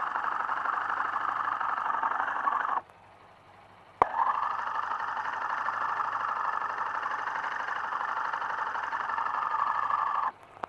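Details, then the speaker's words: New motorcycle engine heard through a probe; steady whirring hum with fine rapid clicking and a short gap when the probe is lifted; these noises on a new bike do not mean a problem, normal mechanical noise. "o elton estes ruídos que eu acabei de ouvir mesmo a moto sendo nova isso significa que o motor está com problema claro que não"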